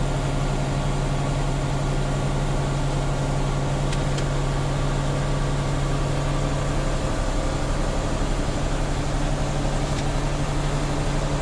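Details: Tractor-trailer air brake inspection, engine revved up to refill air to governor cut-out before the three-way brake test: steady even drone at raised speed, no knocking or surging; compressor charging normally.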